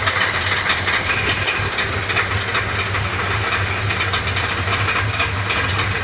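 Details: Engine with steady hissy running and a light, fast metallic clatter on top; source not determined, smoke seen coming from the rear passenger-side valve cover.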